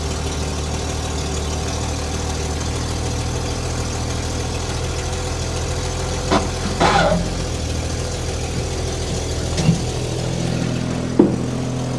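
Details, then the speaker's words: Old Willys, cold engine just started on hand-held choke, idled up: low, steady idle dipping and catching over twelve seconds, stumbling until warm; owner says it runs well once warmed up. "it's stumbling right now so you can hear it running it's idled up a little bit it's been some damn cold didn't want to idle until it got warm so it's idled up just"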